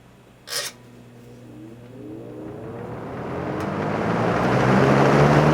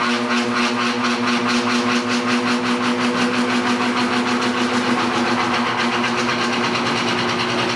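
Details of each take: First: Vintage fan with a Lasco plastic motor housing, rebuilt after binding, misaligned motor bearings and old grease were fixed: a click, then a smooth whir climbing steadily in pitch as it spins up, no scraping or binding; normal startup. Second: 1960s General Electric five-blade fan with single-bearing motor, at startup: a steady hum carrying a fast, even buzzing rattle a few times a second, like a small diesel; typical GE loose motor winding sound.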